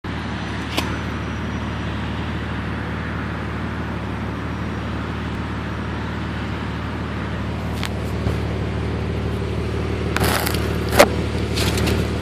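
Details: BMW 330Ci with M54B30 engine at cold start: low uneven idle rumble with a few sharp stumbles near the end, misfiring while cold.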